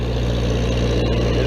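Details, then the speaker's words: Old Vermeer 665A stump grinder, choke relocated so it no longer swings on the arm, just fueled and started: steady, even engine drone with a firm low hum and no knocks or misses, running normally. "fuel up there she goes running like a champ"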